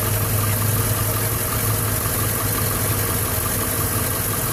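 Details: 2011 Silverado 5.3L V8, 126,000 km, after sitting 8 hours: struggled to start, then idles heavy and uneven with a deep shake and faint tick, nearly dying; valve cover with built-in PCV recently replaced; cause unknown.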